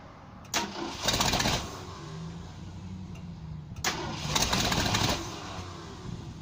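Two cranking bursts of about a second each with a quick steady starter beat, and the engine never catches: a crank, no-start.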